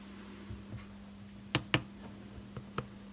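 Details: Deye 10 kW three-phase inverter, two years old, that kept clicking its internal relay and dropping the grid because of a firmware bug: scattered sharp relay clicks over a steady low hum during the remote firmware update reboot.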